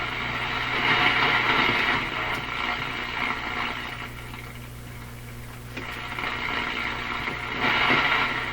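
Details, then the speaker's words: Nordmende Boheme C tube radio on shortwave band one near 3 MHz, volume turned way up: steady buzzy hiss with fast rattling crackle about four times a second; interference from overloaded LED shop lights, reduced by dimming them. "it's my overloaded shop lights making that sound my led lights so i've turned them down a bit so they don't make that noise"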